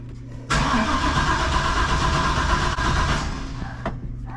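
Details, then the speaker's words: Junkyard 6.0 V8 just swapped into a truck replacing a burned-up 5.3, main and rod bearings checked, first turnover to prime oil pump: about three seconds of steady cranking with even compression pulses, no firing; turns over freely. "we're not going to flip that one we're just going to turn this old girl over everything sounds good"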